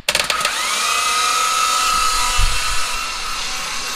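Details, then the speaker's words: Freshly rebuilt forged 6G72 twin-turbo (15g turbos, bored 15 over, stage 2 cams) in a Mitsubishi 3000GT VR4, being primed on break-in oil with plugs out: even, high starter whir, no compression pulses, crank spins freely; normal cranking. "oh the pistons are moving i think it's gonna kill his battery first what happens when everything's bone dry it takes forever to get that suction going"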